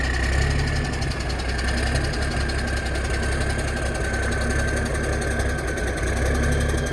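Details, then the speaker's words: Kenworth K100 diesel truck idling after fuel system plumbing, about to back up: rapid even rattling clatter over the steady idle is the air compressor building air; normal. "and if you if you hear that that's the air compressor that's the compressor doing that"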